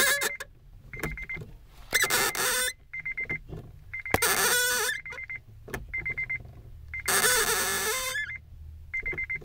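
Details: Acura RSX-S clutch: sharp, high chirping squeaks about once a second in short bursts when the pedal is released slowly; the clutch squeals loudly on engagement.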